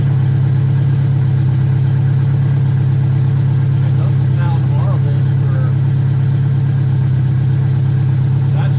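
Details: VW Mk2 Scirocco 16v, running after 20 years abandoned: steady low engine drone with an uneven, loping beat at idle; rough, unsettled idle, cause not pinned down.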